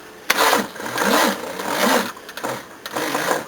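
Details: Second-hand Nippon Denchi GS battery cranking a 351 V8 on long jumper leads: the starter groans in slow, uneven bursts of one or two turns a second without catching; tired battery.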